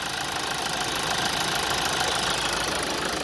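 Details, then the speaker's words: Toyota Avensis Combi 2.2 D-CAT 177 hp diesel, serviced at 164,000 km in 2009, recorded close to the engine bay. Smooth, even diesel clatter at idle with no extra knocks or misses. Normal idle. "Megpróbálok csöndbe maradni itt közelebbről, hogy halljátok, milyen szép dízel hangja"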